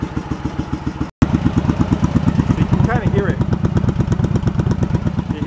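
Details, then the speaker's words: Yamaha Virago 1100 V-twin after carb repair, cold, on vacuum gauges: lumpy idle pulses about three per second with one cylinder thumping harder than the other. The carbs are out of sync and need throttle balancing. "And here we are on the gauges. That's the difference we're having between the two of them. And I can adjust between the two throttles where their position is, so I can try to even that out so both cylinders are working evenly."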